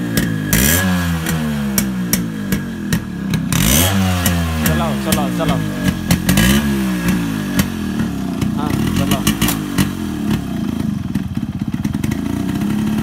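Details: Yamaha RX100 two-stroke after a hard morning cold start following heavy rain: rough crackle catches and rises and falls in quick throttle blips, pitch sweeping up each time; now starts and revs.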